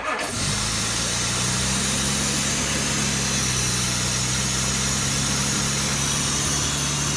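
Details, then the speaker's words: 1967 Jaguar Mark II, off the road 20+ years, on its first start after two days of work: fires at once and holds a fast, steady, humming idle set too high; no smoke, vacuum advance found off. "We gotta slow the idle speed down and. No, no smoke or nothing, dude."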